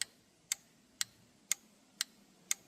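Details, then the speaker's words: John Deere Z425 mower five-pin PTO relay on a relay tester: crisp, even clicks about twice a second as it switches on and off; relay tested good, not the cause of the PTO clutch not engaging. "Hear that clicking? It's testing the relay. Clicking it off and on."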